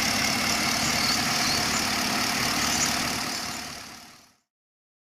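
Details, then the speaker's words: Holden Commodore VE SS V8, 150,000 km, after a routine iridium spark plug and NGK lead change: smooth, steady idle with an even beat and no rattle or miss, then a clean wind-down at switch-off; healthy. "As you can tell, it's not too rattly."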